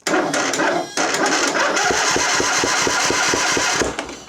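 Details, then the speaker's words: 2007 John Deere LA135 Briggs V-twin, earlier misfiring, now no start, cranked with booster pack: uneven pop-pop-pop each turn, never catches; low compression from catastrophic valve guide failure, fixed by new cylinder head. "so we've got a compression issue I'm going to give it a crank have you guys listen you're going to hear a funny popping noise like a pop pop pop pop pop as it cranks"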